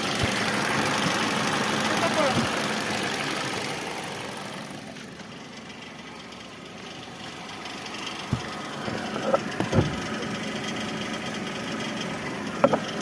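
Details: 2019 Kia Sportage at idle: a light knock taps about twice a second over the steady engine hum, uneven at times; knocking in the engine, cause unknown.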